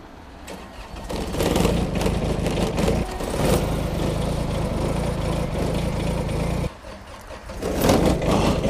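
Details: Kubota small diesel tractors in cold winter weather: brief cranking, then the diesel catches quickly and settles into a steady clatter, and a second engine fires just as readily. A normal cold start.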